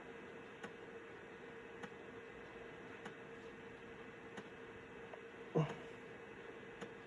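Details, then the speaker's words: Citizen W1D floppy drive in a Compaq Armada 7770DMT after belt replacement, full-formatting a 1.44 MB diskette: soft, evenly spaced head-step clicks about every second over a quiet hum; normal floppy drive operation. "You never know what you have or how far technology comes until you have to wait on a 1.44 megabyte diskette. But so far so good."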